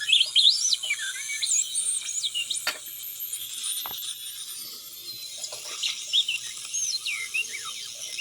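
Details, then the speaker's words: Home-built Solder Smoke 40 m direct conversion receiver, with audio now clearly audible after rework: whistling tones slide up and down over a steady hiss as it is tuned. It works normally, though the builder thinks the band pass filter needs adjusting. "today when I got in from work, I worked on it some more and now the audio is very audible."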